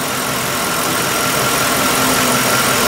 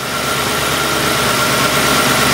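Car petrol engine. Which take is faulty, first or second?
second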